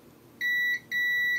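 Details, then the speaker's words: Console board: after removing the M92T36 chip, multimeter continuity mode still gives a steady beep on the capacitor line, so the short remains. "no it's not so we still have our shot so if we turn around again we're still going to have it on this cap on the back"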